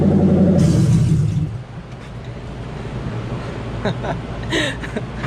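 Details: '97 Ford Mustang Cobra on stands during removal of an exploded clutch, run with the exhaust open at the headers: a loud, deep blat on the rev falls to a raw, unmuffled rumble at idle, the roar of open headers.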